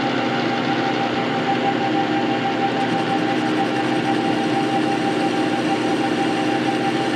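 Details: Metal lathe bought non-running and disassembled, running after cleaning, painting, reassembly and rewiring: steady loud mechanical whir with faint even gear tone, no knocking, grinding or speed hunting; runs smoothly.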